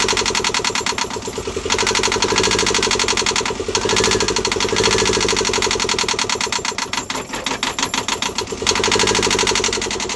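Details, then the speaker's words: Newly installed Yanmar 2GM20F diesel in a Prout catamaran, water pump primed, first start: clear, even chugging that swells and dips as it catches, then runs steadily; turning freely and sound. "Just got the engine running. Double rainbow there. Yeah, we're up and running. Up and running."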